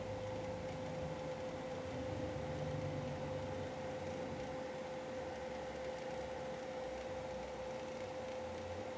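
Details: GPU cooling fan running above 60% for more than five minutes: steady airy rush with a sharp constant whine on top that grows louder over time; abnormal fan noise, cause unknown.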